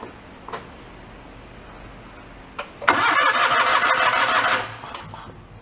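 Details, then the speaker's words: 1987 John Deere tractor after engine valve repair, started on choke: cranks and catches with a quick, even putter, runs well and sounds much better than before; normal start and running. "Runs good, don't it? Let's go turn the choke off. What a piece. There we go. Definitely sounds much better."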